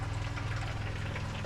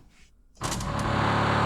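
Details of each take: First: Barn-find Rover SD1 V8 rally car sat over 20 years, newly fitted fuel pump with lines blown out, flowing into a drum; soft steady hum with faint liquid rush, much quieter than before, fuel coming through clean; normal fuel pump operation. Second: Rover SD1 V8 rally car sitting unused over 20 years, priming 10 L of fresh fuel: electric fuel pump runs with a loud, even buzzing drone that never quietens, working but not pumping fuel.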